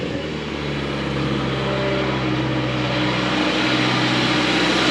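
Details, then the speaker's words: Toyota 4Runner running rough and very rich: steady engine hum sitting high and slightly uneven; owner suspects a vacuum leak and possibly a non-working O2 sensor, and also suspects an exhaust leak. "oh okay I think this has a vacuum leak just the way it's acting idle and high"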